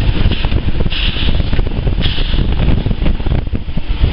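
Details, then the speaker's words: Ford Falcon ED engine, long-overdue oil change, breather hose pulled off: steady, even idle rumble, no hiss or hunting, idle rises as air bypasses throttle; no vacuum leak or gasket/seal problems. "also a sign that this engine doesn't really have any gasket problems or seal problems because the idle is increasing when I pull that hose off because air is now bypassing the throttle plate"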